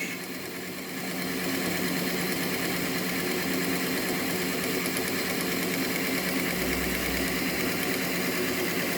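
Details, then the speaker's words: Hornby (Lima-based) Class 57 diesel-electric model locomotive, owned about two years and previously dead, repaired and running on the test bed: steady even motor hum with light whine and even patter holding speed; runs smoothly and healthily. "she's a really good runner so there we are okay kevin we'll be happy with that"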